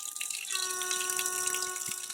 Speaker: that means there's water passing by the diaphragm and it's causing vibration here you can feel vibrating